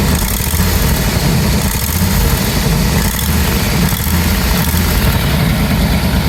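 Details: 1989 Bentley Mulsanne S, 6.7-litre fuel-injected, idling: loud raspy puffing chuff over an even idle, with exhaust smell; exhaust blow, owner suspects the manifold, not confirmed.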